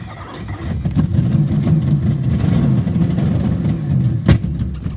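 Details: 1963 Studebaker Lark 2-door, off the road 11 years since 2010, given starting fluid, briefly ran then died; starter churns steadily about three turns a second for five seconds, never catching: cranks but won't start, cause unconfirmed (owner suspects stuck needle).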